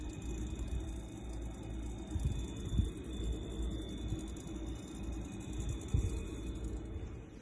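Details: Buzzing compressor on an LG LFXC22526S fridge, started about 2 months after purchase: a steady low electrical buzz while running; the technician replaced the new-to-LG compressor, and the replacement has been fine so far.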